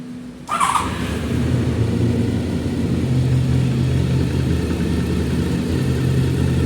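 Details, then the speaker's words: Honda VFR 750F motorcycle, started fully warmed up after reassembly: it fires instantly and settles into a smooth, even low rumble with no ticking or metallic rattle; a normal warm idle. "Работает чисто, без посторонних металлических шумов. Все четко."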